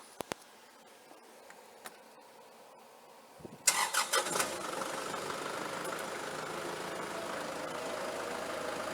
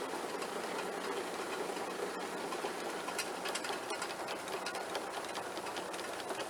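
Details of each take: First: Kubota tractor driving an Allis Chalmers sickle mower converted to 3-point hitch, first run: clicks, then steady mid-pitched run with faint uneven shake, seat bouncing. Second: Allis Chalmers sickle mower converted to 3-point hitch on a Kubota tractor, engaged lowered in working position: fast, even cutter bar clatter with no knocks or binding; noisiest part is the PTO guard. Normal running.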